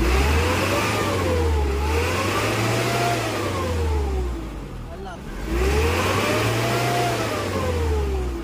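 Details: Isuzu 4HL1 common-rail diesel, repaired for hard starting and low power with new injectors: climbs and drops cleanly through three smooth rev sweeps, no stumble, before a road test; normal revving.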